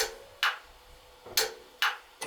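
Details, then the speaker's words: 40-gallon electric water heater with no hot water, upper element not heating: four sharp, dry clicks about half a second apart as the upper thermostat is turned up and its contacts snap in. "So let's see if we can turn this up. It clicked in, you hear it click?"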